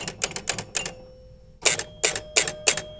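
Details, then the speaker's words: Gottlieb Jack in the Box pinball: score reel clacks in quick runs of about four, pauses, then repeats, stepping on its own; coil ruled out, a switch is suspected. "Ah, it's still doing the same thing. Okay, so the coil was not causing this issue."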